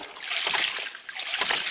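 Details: Ram pump running with a fully saturated, waterlogged pressure chamber, delivery point about 10–15 feet above pump: splashing water with harsh surges about once a second, fittings and drive pipe jumping; surging and higher volume from lost air space.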